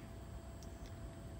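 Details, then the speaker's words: Trane XC95m TUHM modulating gas furnace during gas valve setup. It fired at 65%, then modulated down to low fire. Soft, steady low rumble with no roar, rattle or flutter; nice and quiet: normal low-fire operation. "And uh she's nice and quiet."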